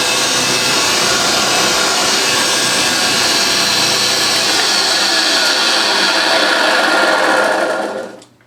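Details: Refurbished vintage Hoover 612 upright vacuum running normally after refurbishment; smooth, even high-pitched hum with a lovely purr and steady brush whir, no rattles or labouring, then a clean spin-down.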